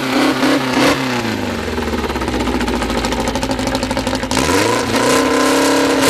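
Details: Freshly built 2054 flat-four just after first start, carburettors barely adjusted: runs even and steady, rising and settling with throttle, holding about 1,200 rpm idle, kept high for break-in for now; healthy.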